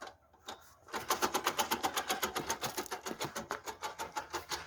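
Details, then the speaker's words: VAZ 21099 rear right wheel after hub bearing replacement, spun by hand while jacked up: rhythmic scraping about four times a second, also heard while driving. A broken spring inside the drum brake is rubbing. "ну вот такой звук очень неприятно при движении такой dd dd dd h&h четко прям хорошо очень слышно"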